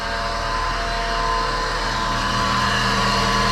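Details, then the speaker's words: VW Golf 4 running after catalytic converter replacement, with a constant whirring rattle at about four beats per second; owner attributes it to the alternator and plans to replace it; worn alternator pulley. "c'est la folie de l'alternateur donc on va changer l'internât"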